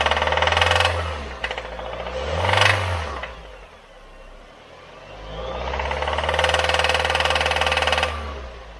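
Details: 2018 Nissan Versa, bought new November 2018, 105,000 miles, oil full and clean and changed about 1,000–1,500 miles earlier with full synthetic: on a cold start the engine revs up and settles repeatedly with a harsh metallic rattle that grows with revs.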